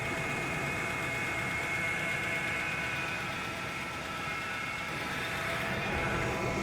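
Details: 2002 Chevrolet Astro just after thermostat replacement for overheating, coolant topped off, started to check leaks before warming up: even, steady idle with a smooth low rumble and no knocks, misses or squeals; normal idle.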